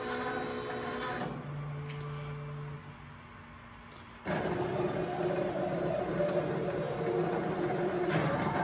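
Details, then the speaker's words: Plasma table with OpenBuilds BlackBox controller (replaced) and OpenBuilds power supply, NEMA 23 high-torque steppers; stepper tones start and stop, then buzzy hum with uneven stutter, jittering at the same spot each cut despite voltage adjustments and free-gliding lead screws. "sounds like the motors are being torqued to the max those are the nema 23 motors the high torque motors"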